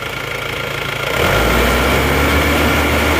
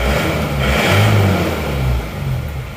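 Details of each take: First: Isuzu Panther diesel with no thermostat, sluggish pull and stalling after revving: revved high, rpm sags and wavers, surging back up; fuel starvation from clogged diesel fuel filter. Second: Isuzu Panther diesel after tune-up with fuel filter replaced and valves adjusted: picks up cleanly on throttle blips and drops back smoothly without stumbling or dying.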